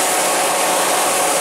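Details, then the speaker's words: Kia van, cold weather, parked after a test drive with engine running: steady, even rushing whoosh with no ticking, rubbing or wobble; the electric cooling fan sounds normal now and there are no leaks while running. "it's sounding normal now cooling fan and there are no leaks so it doesn't leak when it's running"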